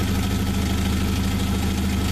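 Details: 1995 Jeep YJ after a new coil and plug fixed the no-start: an even, steady idle through a loud, open exhaust from a blown-out muffler. The engine itself runs fine.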